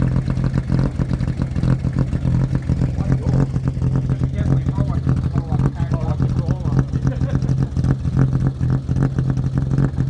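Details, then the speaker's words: Mercedes-Benz W123 250 long-wheelbase limousine, petrol, first start after 17 years parked: smooth, even idle with steady low hum, no ticks or misfires, quiet like a sewing machine; normal idle. "it's like a sewing machine sounds so good"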